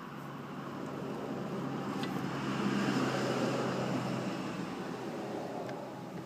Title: Honda mower transmission bad bearing HRA216-SXA